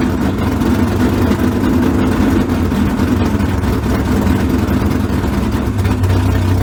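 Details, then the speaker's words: 355 small-block V8 in the '57 (replacing the smoking 427), just started after the swap: a deep, even rumble with clean firing and no misses or knocks. Normal idle and revving. "Hell yeah. She liked that."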